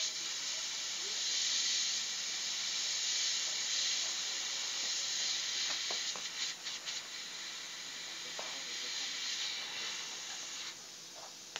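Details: Freezer cooling only at top, previously flushed with gasoline, condenser replaced: short, thin gas hiss on cutting the line that soon tails off; hardly any refrigerant left, leak confirmed at unknown spot (welds or valve).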